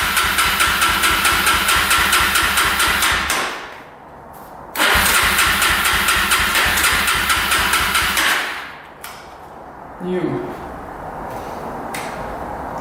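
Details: 2005 Yamaha TTR250 single-cylinder, sat unused for about two years, petcock on reserve with choke pulled: starter churns in steady bursts with pauses and never catches; crank no start from fuel starvation, with a leaking petcock.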